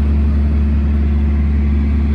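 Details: Cummins ISX diesel truck after full rebuild for dropped liners and blown head gasket pressurizing coolant (block cut, shims, OEM parts): deep steady even rumble, no knocks or misses; temperature good.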